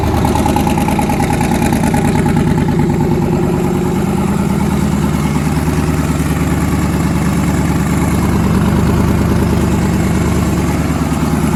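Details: Newly twin-turbocharged engine, first start after conversion, loud rough idle with a regular skipped beat about three times a second; back cylinder misfiring with valve stuck closed, head gaskets done last year.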